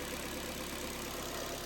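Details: Car started straight away on Trekure TK50 jump starter without boost button: steady, even idle hum, no knocks, misses or hunting; normal idle.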